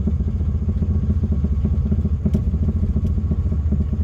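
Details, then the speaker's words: 1978 Pontiac Sunbird Formula, 231 V6, started after about 10 years parked: uneven loping idle hunting near stall with a dull knock two to three times a second; knocking said to be the non-working clock; charging under 13 V. "can never tell if it's going to stall or if it's just like goinging sounds like a motor with a big cam"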